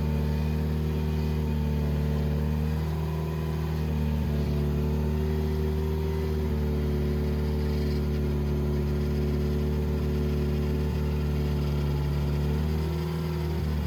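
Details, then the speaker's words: 2007 Subaru WRX with STi engine swap, after timing correction and 15-minute break-in at about 2500–3000 rpm: steady, even, smooth idle with no knocks or misses; normal. "so we ran it at like 25 3000 rpm for about 15 minutes to break it in and as you can hear right now it's running pretty smooth"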